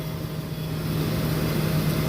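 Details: Walk-in cooler condensing unit running normally after the thermostat, found bumped or moved up to 50°F and causing pump-down, was reset to 36°F; steady even low hum, constant tone, no knocks or rattles.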